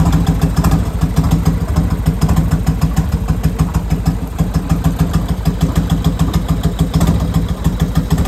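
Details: Harley chopper V-twin after a full rebuild and repaint: fires right away and settles into a deep, lumpy idle of about 200 beats a minute, steady with no knocks or rattles; normal start and idle.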